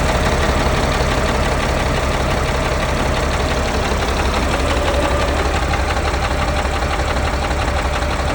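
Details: Cat 3126 diesel in a Freightliner FL60, first start after new HEUI high-pressure oil pump and resealed injectors: rough, lumpy idle about three beats per second from a cylinder 1 misfire, with major blowby from the road draft tube.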